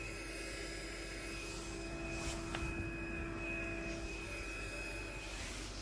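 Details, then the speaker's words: ZQpro speaker with weak sound at full volume in AUX mode: with the RCA input cable unplugged, a steady buzzing whine with hiss from the speaker. "Nih kita cabut dulu dan ada suara aneh ya teman-eman bisa dengar"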